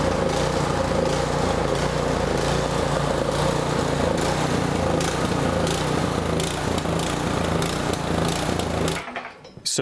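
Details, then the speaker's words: Toro snowblower overhead-valve engine surging at run speed: revs rise and fall steadily (even the light pulses), hunting from a fouled carburetor before a carburetor repair; it starts and otherwise runs well, and partial choke can stop the surging. "the surging you could even see the light go up and down a bit and that's because the engine was actually revving up and down because of the surging"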